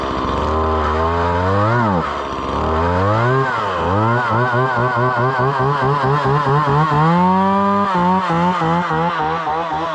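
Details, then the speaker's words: Chainsaw cutting wood with a sharp full chisel chain, possibly the smaller 170 saw tried for comparison: it screams at high revs, bogs slightly on each cut and recovers quickly with an even note. A healthy, strong-running saw. "full chisel chain cuts a lot better plus it's sharp"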